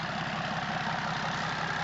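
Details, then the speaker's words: BMW X5 diesel, new battery, started only with a Starpilot booster while parts are still unfitted: coarse, uneven rattle over the idle from loose parts not yet bolted back on; rough idle from unfitted parts. "C'est à part le bruit de merde parce qu'il y a rien qui est remonté dessus, il tombe."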